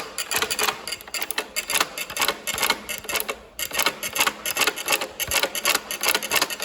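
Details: Industrial chain-stitch (loose looped stitch) sewing machine after a deep clean runs with quick, bright, even chatter, roughly three to four stitch cycles per second; normal running.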